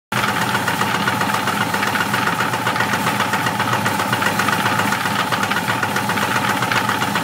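Steady idle with a quick, fairly even knock of about two and a half per second over it; the cause is not pinned down. Cause suspected, not confirmed.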